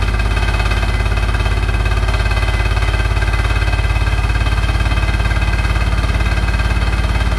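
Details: Hotpoint NSWR843C washing machine on its final 1200rpm spin: a heavy, steady low roar with a fast, even rattle of about three beats a second; something loose shaking, cause unclear.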